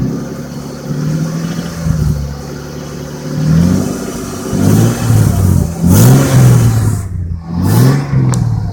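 Engine revs up and drops back repeatedly with an irregular clattering knock under the note; a knock or slap, cause uncertain. Cause suspected, not confirmed.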